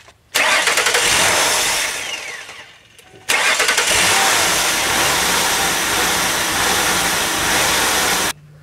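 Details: 2002 Mercury Sable after ignition overhaul and valve cover gasket work: engine cranks and catches twice, then runs with a loud airy hiss over the idle from a cracked vacuum part leaking.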